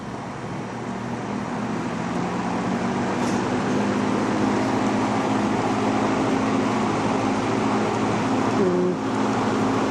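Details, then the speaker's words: Vintage McGraw Edison Zero box fan, around 1970s, just cleaned and oiled, running on low: steady low electric hum with a faint buzzing edge under the airflow rush; it has always buzzed, cause unknown. "the uh newer fans just don't get that same startup sound and this one has always had a buzz never never did know why but it just wouldn't be the same without it"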